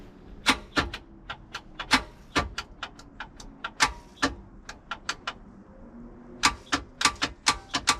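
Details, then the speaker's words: Old boat engine, ignition cables disconnected, key turned: sharp single clicks in uneven bursts from upper starter solenoid, no cranking; solenoid clicking but starter won't engage, starter suspected bad. "okay got a solenoid clicking oh sounds like that upper solenoid clicking so it almost engaged right there"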